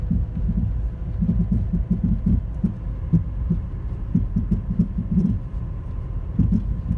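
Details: 2010 Toyota Corolla LE making a loud thumping popping noise, louder in person; irregular low thumps and pops, a few per second, over a steady low engine rumble; cause unknown.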